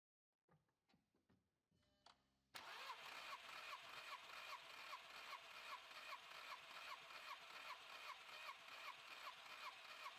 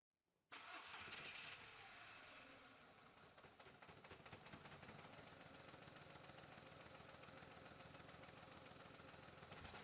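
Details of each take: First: 2004 VW Polo 9N 1.2-litre 40 kW petrol with misfire, compression test on cylinder 1. After a few clicks it cranks with an even beat of about 2.5 pulses a second, reading 17 bar: healthy compression. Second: 2004 VW Polo 9N 1.2 L petrol, 40 kW, started and settling into a lumpy uneven idle with irregular stumbles and shaking from cylinder misfires; check engine light on.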